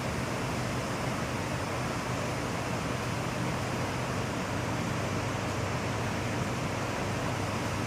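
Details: Ford 6.7 Powerstroke diesel that had come in with a clicking no-start, traced to a discharged battery at 12.12 V. It now idles with a steady, even low rumble and no knocks or misses, charging at 13.9 V and about 22 A with the system not under strain.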